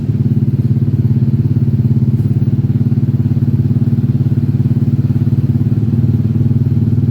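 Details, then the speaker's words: Yamaha Aerox 155 scooter after a total electrical failure, fixed by reconnecting a disconnected cable in the ignition circuit and charging the battery; even quick putter settling to steady idle, normal. "Okay, the motorbike can start the engine."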